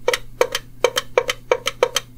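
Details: GM EVAP vent solenoid bench-tested with jumper-wire power and ground: crisp, sharp clicks in pairs, roughly three per second, with a faint background hum. The vent solenoid snaps in and out cleanly and works normally.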